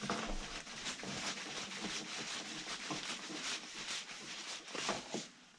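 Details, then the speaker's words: Excavator grease gun opened for repair: irregular wet spitting and squelching bursts as the pump is worked instead of a solid push; air lock in the grease gun, fixed by bleeding air and feeding the pump. "Okay. You can hear there are a lot of air in there from pumping. So let's just feed that pump."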